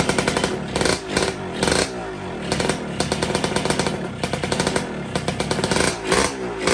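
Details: Two-stroke, first start after 2 years of storage, fed from a makeshift tank because the original leaks: a raspy crackling buzz with quick throttle blips picking up cleanly, running without misfires.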